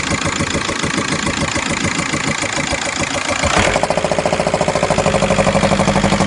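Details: VW Golf 5 at idle: loud regular knock about three per second that changes character midway, same hot or cold, disappears after 2-3 minutes; cause unknown; engine knocking at idle.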